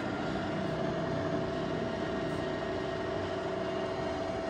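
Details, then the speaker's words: Kaoming KMR-1600 DH radial arm drill (60 mm capacity, MT5 spindle, 30–1580 RPM): steady mid-pitched mechanical hum as spindle speed is raised toward maximum 1580 RPM, no knocking, grinding or whine. Spindle runs quietly. "as you can hear there is no noise at all even at it's high RPM also it's completely silent there is no noise at all"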